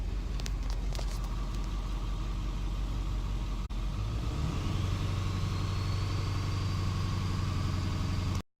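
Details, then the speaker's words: 2002 Ford F250 7.3L diesel after repair of exhaust manifold leaks on both sides, with up-pipe gaskets and bolts replaced: low, even, healthy idle with no ticking or puffing. The truck has noticeably more power. "just got my truck back from the shop and it sounds a heck of a lot better as a crap-ton more power"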